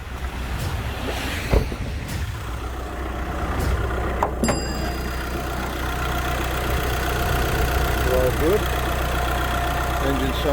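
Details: VW Crafter campervan diesel after head gasket failure and top-end rebuild, warm with temperature sitting around 90: even steady low idle rumble, no knocking or rattles, engine sounds quiet and healthy.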